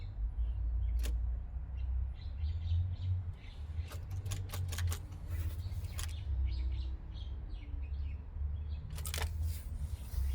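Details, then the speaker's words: Mazda RX-8, first start after switching back to NA with hoses hooked up: key turned gives a few sharp dry clicks over a low rumble, engine never cranks; owner suspects battery or starter. "Maybe um maybe the battery's [ __ ] itself or maybe the [ __ ] starter's [ __ ] itself. It clicks."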